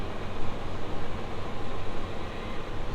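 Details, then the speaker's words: Gen 1 GMC Safari/Chevy Astro AWD with a replaced power steering pump (the failed pump had caused a hard brake pedal from lost Hydroboost assist), after bleeding the system. Only a steady low engine rumble with no pump whine: a normal, quiet power steering pump. "And that's a lot quieter."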